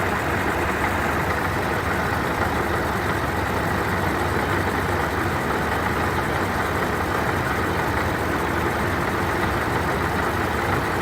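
Steady rough grinding rattle over the idle, like marbles tumbling, holding constant with no change in speed; the supercharger sounds unhealthy. Cause suspected, not confirmed.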